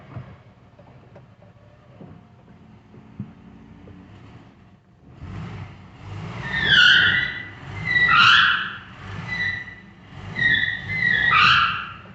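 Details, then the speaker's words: 1968 Mercedes-Benz 280S, brakes locked up from sitting: as the car moves, four or five shrill squeal bursts about every 1.5 seconds from a rear tire; the turning wheel squeals while the other side seems not to turn; tire squeal. "hmm interesting so something's not working right which one's squealing this one's squealing so it must be the one that's turning so the other side is not turning"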